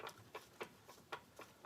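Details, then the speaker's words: Volvo 122S gearbox during rebuild, dry with no fluid, turned by hand on the bench: light, sharp, uneven ticks about three a second; believed to be just slight gear lash slap. "I think it's just that little slap"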